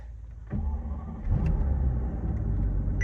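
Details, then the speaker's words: Mercedes S600 V12 starting and settling: deep, uneven growl carrying through the body, also heard with added power-steering load; worn motor mounts letting engine vibration resonate into the frame. "Sounds like a normal V12 starting. The motor mounts are resonating through the frame of the car. See if you can hear that. Can you hear that growling?"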